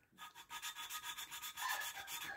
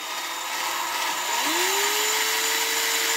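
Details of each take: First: Hand-lapping a valve into its seat in a refurbished cylinder head with grinding compound, no machine shop; steady back-and-forth gritty rubbing about three strokes a second, sound changing as the valve beds in. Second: Cylinder head valve hand-lapped with cheap hand tool and grinding compound, rotated back and forth: high steady whirring with gritty hiss; valve lapping into seat.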